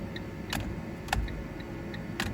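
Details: Fiat Punto with no indicators: crisp light flasher clicks at an even pace over faint background hum; indicators working again, airbag disconnected.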